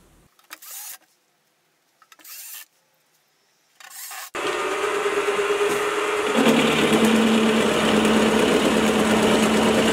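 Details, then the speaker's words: Milling machine after a stiffening plate was bolted to the back of the column, repeating earlier cuts at almost 3 mm width of cut: steady, even spindle tone with no harsh chatter. Much quieter with less vibration than before the upgrade. "I'm doing the same Cuts as before and the difference is just astounding the biggest difference is just how much quieter the mill is the vibrations have been cut down and I can push the mule a lot further than I could before"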